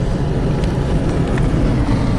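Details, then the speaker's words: 2015 Chevy Cruze 1.4 turbo, manual, 235,000 miles, after fixing rough-running rich condition (high crankcase vacuum), on test drive; steady cruise drone, no stumble or surging, fuel trims near zero, over 30 mpg: fixed. "this is actually an enjoyable car to drive especially with the stick shift just butter smooth it's running great over 30 miles per gallon"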